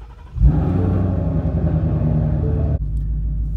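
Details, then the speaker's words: 2017 Ford Mustang 5.0 V8 after a repair: starts and settles into a smooth, even low rumble; the earlier noise is gone, none in reverse, drive or sport, or when lifting off the gas. "as you can see who's even didn't Park in the last video no noise even doing in Reverse a little bit no noise"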